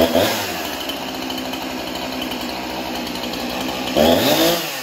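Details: Chainsaw after a scored cylinder was cleaned and a new piston and ring fitted, fully reassembled with bar and chain; steady, even high-pitched two-stroke buzz without stumbling or misfire; runs healthy.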